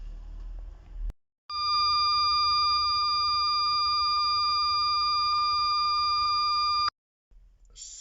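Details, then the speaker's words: Nissan Qashqai J11 rear parking sensor sounder in reverse gives one steady high-pitched tone for about five seconds instead of pulsing beeps, with sensors working only intermittently; the sounder (part 25650 6024R) is suspected faulty and being replaced. "one thing i've noticed is that the parking sensor sounder the beeper is a little bit off just have a listen"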